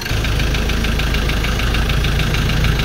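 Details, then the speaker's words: Ford Ranger 2.2 manual diesel just after reassembly, running: loud, steady, rapid metallic knock over the rumble, not settling; deep knocking suspected from the crankshaft, needing full engine teardown to trace. "narinig nyo na sobrang ingay. Mayroon talagang knocking."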